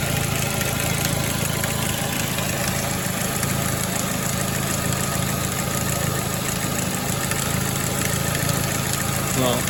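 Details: 2006 Ford Focus ZX4 at idle on ramps, before repair: faint continuous rubbing hiss over the engine from the belt drive; worn idler pulley bearing, pulley to be replaced.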